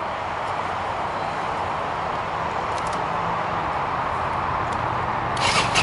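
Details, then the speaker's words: Yamaha XV250 V-twin after valve adjustment, started with choke: steady even idle with quiet top end, no clatter or misfires, valves much quieter than the loud noise before adjustment. "let me get the camera close to the valve so you can hear how little noise there is it was pretty loud before and that's it we're all done"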